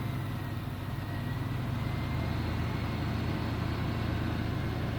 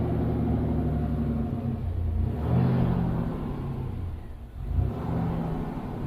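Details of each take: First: GMC Typhoon, first start after sitting over 10 years, cold with the temperature gauge at the bottom, no throttle applied; low, even idle with no knocks or misses, still blowing a little smoke that may be residue burning off, normal idle. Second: Fuel-injected GMC Typhoon, first start after sitting over 10 years, restarted with only light throttle; an uneven, surging low rumble rises and sags while burning off transmission fluid put in the cylinders, rough running.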